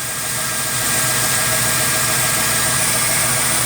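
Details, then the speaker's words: Ford MPFI intake after sharp edges in the intake were smoothed and a 1/8" hole was drilled in the throttle plate. Even, steady idle with no whistle or resonant hum: the intake resonance is fixed. "I don't care about the whistle noise that's not a big deal to me that's just normal"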